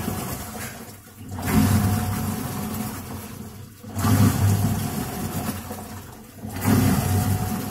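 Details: Midea MWMTL062M31 top-load washing machine with water only: heavy rumbling growl on each agitation stroke about every two and a half seconds; gearbox noise, customer complains in wash and spin.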